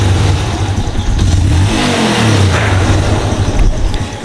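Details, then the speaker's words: Yamaha Jupiter Z1 motorcycle, cylinder block replaced about a month earlier, engine cold, throttle blipped: as revs fall on release a faint sharp k-trek click; rougher when hot; connecting rod knock on throttle release. "jadi kalau saya gas kayak gitu gas W gitu ya terus dilepas itu bunyi k trek"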